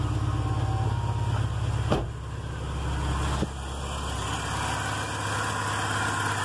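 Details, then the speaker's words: VW Golf Mk3 after an engine rebuild, with the idle actuator (stepper motor) in place and the engine still warming up: a deep, even idle hum that oscillates only slightly in speed; normal idle. "fica com a todo ligado você vai perceber muito mais ela oscilou bem pouca coisa mas oscila"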